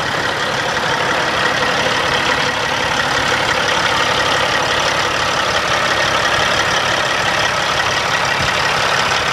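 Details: 2005 Sterling LT9513 diesel dump truck starting nicely and idling with an even, steady rumble and no knocks or misses; normal idle.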